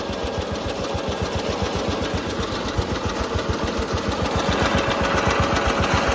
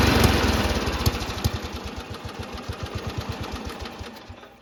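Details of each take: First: Riding mower engine after repair work: steady single-cylinder thumping at about 220 beats a minute, loud and shaky throughout, seeming as loud as before; the engine is running rough, cause not yet found. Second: Riding mower small single-cylinder engine after the ejected spark plug was reinstalled and torqued to spec: catches and settles into a steady putt-putt with no misses; running fine.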